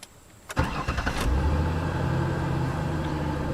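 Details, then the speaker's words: 2002 Ford Taurus 3.0, intermittent no-start that started every time, battery recently replaced, during battery/starter test: short, brisk, even cranking, fires within a second into a smooth steady idle; cranking normal. "cranking normal do the charging test now"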